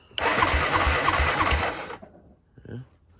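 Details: 2002 Honda Rancher ES ATV, 1,238 miles, sat 12+ years full of water, cranked on a jump pack before carb cleaning: starter spins briskly about two seconds with even compression pulses, roughly three a second; turns over freely, normal cranking.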